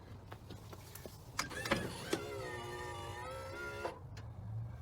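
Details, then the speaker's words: Kwikee RV motorized entry step (A-type gearbox) after repair with 14 Nm motor: short smooth electric whir at even pitch about two seconds, clicks at start and stop; motor running fine. "tell you what, that 14 Newton meter motor seems like it's doing just fine."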